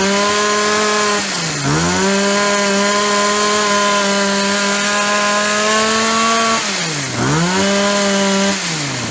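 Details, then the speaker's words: Yard-sale Shindaiwa single-sided two-stroke hedge trimmer, unused for a year or more. Clean steady high buzz, two brief dips recovering crisply without bogging; runs strong, normal running. "Oh, she runs fantastic. What a deal."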